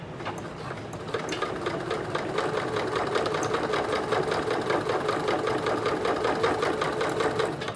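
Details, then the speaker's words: Singer 9970 computerized sewing machine (circa mid-2000s) sewing stacked fabric layers: very quiet, even needle rhythm at a steady pace with light ticking, no knocks or grinding; runs smooth and healthy. "that's so nice oh my god so quiet just so quiet"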